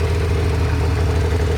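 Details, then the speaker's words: Kawasaki ZX600D first start after an unmaintained winter non-start, fixed with new spark plugs. Smooth, even idle with a steady low drone and no misses or stumbles; all cylinders are firing cleanly at about 1,500 rpm, running normally. "the idle is it's okay yeah it's I don't know one and a half yeah yeah it works like a shop"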